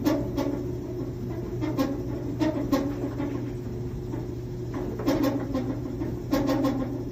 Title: Top load Samsung dryer making this noise. It is 6-7 years old.